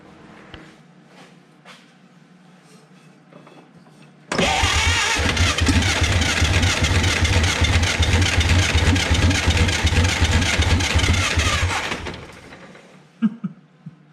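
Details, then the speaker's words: Abandoned 1950 Dodge Pilothouse truck with flathead six, after resting the starter: engine catches and runs rough about eight seconds, then dies without throttle held open; owner suspects a bad valve. "seems like you let it sit a bit then she wants to catch i know i got a bad valve or something in there but maybe once it runs it'll kind of calm itself out"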